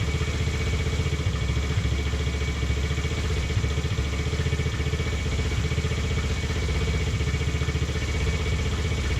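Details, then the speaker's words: Taotao 125 after idle adjustment: even, steady single-cylinder idle, no misses or knocks, slightly high; owner attributes high idle to worn throttle cable not fully returning; full throttle still available. "That sounds pretty good to me. Once we get it in here. Yeah, sounds pretty good to me. It's got a little bit of a higher idle, and I think that's just due to the fact that this cable is just kind of shot"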